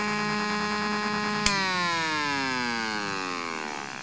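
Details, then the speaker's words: Homemade AC-powered AM transmitter heard on an AM radio: sharp click at switch-off, then a whistle sliding down in pitch as the filter capacitors discharge through the oscillator. "now the fact that you hear that that loow sound you know the sound going W is just the capacitors of the filter discharging themselves through the oscillator"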